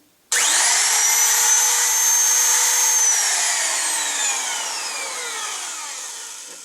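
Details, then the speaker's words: DeWalt 660 rotary tool after replacing the motor brushes on a unit that had died: spins straight up to a clean, steady high whine and winds down evenly, no grinding or sparking crackle; normal running. "that sounded pretty."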